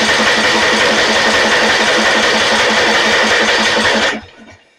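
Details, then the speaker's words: Snapper 28" riding mower, 12.5 hp Briggs & Stratton, electric start, hard starting: even starter cranking about three beats a second for four seconds, no firing; cranking no start, plug test shows no spark. "Sounds like we don't have any spark. Let's take the spark plug out."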